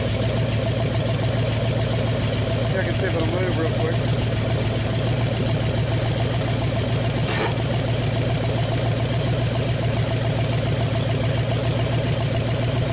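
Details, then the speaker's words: 1959 Ford Galaxie Fairlane 500 on its first start in years, off the road since 2010: an old V8 idling steadily with light ticking about three a second over the exhaust note. Lifter tap, which the owner expects to clear up with driving; no smoke. "so here a lifter tapping but you know driving a little bit it'll probably clear up I'm sure"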